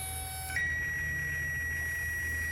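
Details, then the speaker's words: 1994 Jeep YJ, newly replaced fuel pump jumped directly: a steady high whine starts suddenly over a low hum and holds an even pitch as fuel flows and pressure builds. Fuel pump running normally. "yeah i can hear it i could hear the fuel coming so now there must be pressure"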